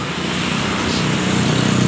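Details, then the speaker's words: Honda Beat eSP (ACG starter) whose electric start had failed: the starter catches and the engine settles into an even, steady idle. The fault was traced to the switch on the red/black wire. "Motor hidup dengan normal. Sebab permasalahan di bagian switch yang ada di sini yang berwarna kabel merah leres hitam."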